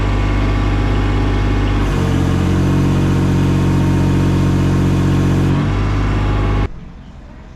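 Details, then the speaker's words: Case CX28 mini digger after hydraulic pump overhaul, pressure test reaching about 1,000 PSI: engine bogs and drones heavily under hydraulic load, then recovers, as the pressure relief valve in the spool block blows off; pressure setting likely needs raising. "I can hear the pressure relief valve going in the spool block so it maybe just needs nip down a we bit to adjust the pressure back up"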